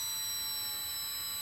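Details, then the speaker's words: LOSI Promoto-MX 1/4 RC motorcycle: steady high-pitched squeal as the ESC brakes the flywheel to a stop when switched off at the controller first; normal power-down braking behavior. "if you turn it off on the controller first you can hear it actually starts breaking and this will stop the flywheel way quicker than you're just powering it off and letting it run on quite a high peit squeal I must admit"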